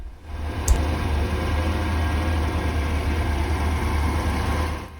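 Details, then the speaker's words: 1983 Porsche 928S with original Bosch ignition, just after setting ignition timing and refitting the vacuum tube: low idle at steady speed but lumpy, uneven beat; still running rough, cause unknown. "The engine is running rough, but I'm going to have to do some more poking around and seeing what else I could improve."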